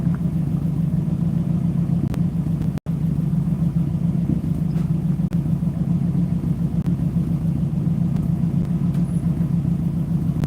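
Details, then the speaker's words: Ford 292 Y-block V8 running normally: a deep, even rumble at a steady idle with no knocks, ticks or misses, sounding good. "For just having a smalish engine, 292 Y block, it sounds good."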